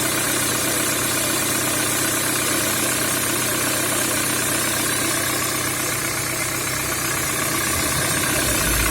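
Steady idle with a regular knock around four per second riding over the engine; there's a knock at idle.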